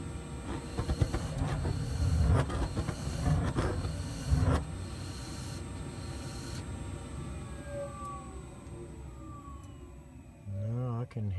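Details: New Trane modulating gas furnace, flame sensor just cleaned: burner roar surges and sags unevenly instead of holding steady; low gas pressure measured with a manometer, fixed by raising the regulator setting.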